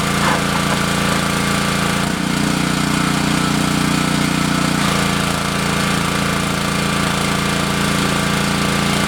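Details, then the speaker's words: Repaired Honda GC190 pressure washer, after carburetor cleaning and an oil change. Steady small-engine drone dips briefly as the pump loads up, then settles back to a smooth, consistent run; normal. "all right sounds pretty good but uh I'm going to use it here for about a 15 minutes the spray on this wheel horse okay I'll see if the thing works"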